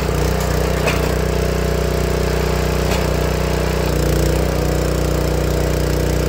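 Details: Honda GX160 log splitter engine after replacing the failing spark plug that caused popping when warm: steady, even hum at constant speed with no popping, misses or coughs; smooth and healthy.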